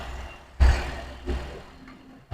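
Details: 2013 car after timing chain repair (chain had been very loose and noisy, fixed without removing timing cover): low even idle rumble, no chain rattle or ticking, few short bumps; chain noise gone, engine healthy.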